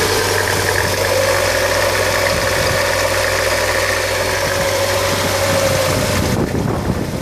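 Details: 2000 Hyundai Coupe 2.0 at steady idle: constant mid-pitched tone over the engine note; strange abnormal engine noise, cause not pinned down.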